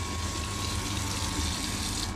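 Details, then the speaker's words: Off-grid water system, priming tank refilled from rainwater via 12-volt pump and garden hose: after air bubbles cleared, steady gushing water with no sputter or gurgle, even pump note; tank fully primed, flowing solidly. "There we go. Coming back in again. I reckon that's fully primed."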